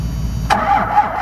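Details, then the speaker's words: Diesel truck in chilly weather, not plugged in and running 15W-40 oil, cranks in a brief burst but never starts. The owner blames a leaking O-ring on the fuel filter housing, which needs a new O-ring. Extended crank, no start. "this this leak thing sucks if it wasn't for this she would have started already but I got to pull a whole filter out and right off the bottom of the head and get a new o-ring know what part number that is"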